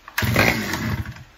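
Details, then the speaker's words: Stihl 009 chainsaw test start after fuel line refit, broken spring removed, water found in fuel, primed with a squirt: one-second burst of two-stroke revving then dies; fires but won't keep running, better than before. "Fired. So far, better than last time. It didn't run at all."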